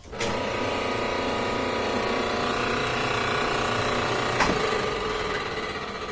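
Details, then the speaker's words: Frigidaire dryer, roughly 15 years old, that hummed or started briefly then shut off, after cleaning the dirty motor switch: motor catches at once into a smooth, even whir with steady tumble, no hesitation; problem cured. "so now we start motor fires right up that hasn't shed and then I'm gonna open the door to break the circuit and I'll try it a few times and that does start over and over and over"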